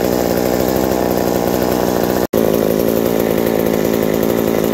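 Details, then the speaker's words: Reassembled McCulloch 790 MC101 two-stroke chainsaw with an ignition chip and a Walbro WB37 carburetor on a homemade adapter: crisp, steady buzz with even firing and no hunting or sputter; runs very nicely and sounds healthy. "it uh very surprisingly it runs very nice with that walbro wb37 uh carburetor and the adapter i put i made for it and it just it's it's fantastic it loves every moment of it"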